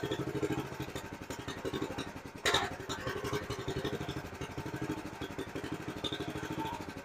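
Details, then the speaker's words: Honda GX390 in a 2005 Chuck Wagon 4x4 UTV after head gasket and valve lapping: lumpy, uneven idle with a hard clatter; rough idle unchanged by idle screw adjustment, owner suspects misfire. "I think it's a misfire is what's going on uh it seems to still be idling rough and I really don't make any difference when I'm changing the idle pin"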